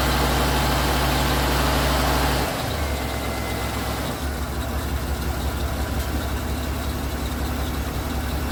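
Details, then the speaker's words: Ford LTD after removal of radiator that hissed and gushed, topped with coolant, warming toward thermostat opening: catches quickly, revs briefly, drops to steady even idle without knocks or misses; runs well. "i'm gonna wait till the thermostat opens up and uh then we'll see what ends up happening but uh yeah no she's she's running well"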